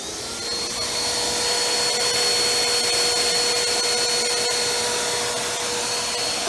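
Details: Bissell Power Force Helix 2191 upright vacuum, purple unit pulled from the trash with its hose unplugged at both ends, first power-on test: steady high airy motor whine, constant tone, no speed change. It runs; no fault identified yet.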